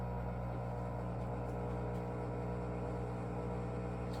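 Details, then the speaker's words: Electrolux washer drain pump in colour cycle, running with water only, no clothes or soap: steady low droning hum with layered tones that strains and grows louder toward the end; laboring drain noise, source unconfirmed. "laboring it's like see it starts at 14 we had a 15-year-old washer and didn't make that noise before it's going to start getting louder and louder until the end"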